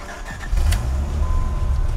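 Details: 1995 Dodge Viper RT/10 V10 with about 6,214 original miles, fuel pump priming properly: a short crank, then it catches cleanly within a second and settles into a steady, even low rumble. A healthy, easy start.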